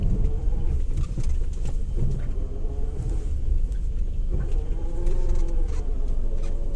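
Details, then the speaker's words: Maruti Suzuki Alto 800 rolling slowly after all suspension work was done: deep rough rumble with a loose buzzing rattle and felt vibration. The source is not yet found. "ढर्र करके vibration सा feel होता है ना, वही आवाज है।"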